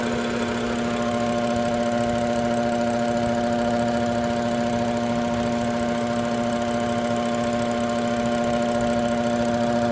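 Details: BMW 640, engine bay at idle: steady idle with a strong fixed tone and a faint, uneven ticking over it; strange abnormal noise, cause unknown.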